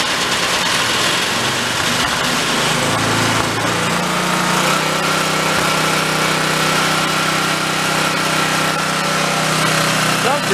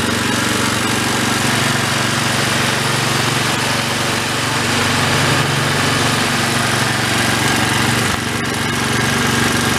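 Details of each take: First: Old Homelite pressure washer, unused about 20 years and stored with Marvel Mystery Oil in the fuel system, running on choke with no fuel filter: small engine buzzes steadily after its speed settles, even pitch, no surging or misses; healthy idle. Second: Old Homelite unit (generator or pressure washer) stored about 20 years with Marvel Mystery Oil in tank and carburetor, no fuel filter, choke on, throttle mid; loud steady but lumpy single-cylinder beat, running rough, air-fuel mixture needs about half a turn.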